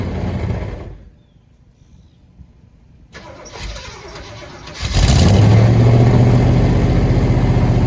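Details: Long-parked V8 running for the first time: a rough idle with a deep, steady bottom-end knock; owner suspects several broken or spun rod bearings.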